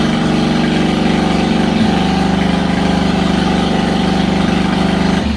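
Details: Harbor Freight Predator 670cc V-twin engine, wired for a mini boat motor: a steady, deep, even drone held at high revs with no knocks or misses, then dropping off at the end; the engine is running healthy.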